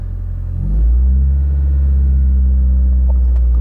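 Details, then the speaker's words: Mitsubishi Lancer on a test drive: engine note climbs sharply and holds a high steady drone under load, revs running ahead of the road speed; worn-out slipping clutch. "nice and he's a clutch bad the clutch is slipping like move but that is one thing check that out as all right"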